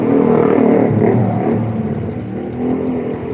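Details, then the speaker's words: Honda Karisma motorcycle after the repair for lack of power: engine revs up cleanly and settles back to an even, steady idle with no misses, running normally. "dan mesin tetap langsam"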